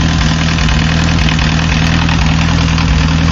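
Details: Diesel car, warm idle: starts easily but after warming up one cylinder misses, loud idle with lumpy beat about twice a second; owner suspects a bad injector with poor spray pattern at low fuel delivery; unconfirmed.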